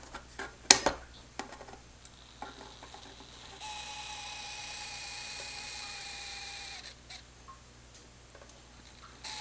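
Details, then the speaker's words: Small two-wire DC motor from a 1970s cassette/radio boombox, run from a train controller; it is designed to run at one speed regardless of voltage. A thin, steady, noisy high whir between handling clicks; WD-40 is suggested for the noise. "maybe a little WD-40 will take care of that noise."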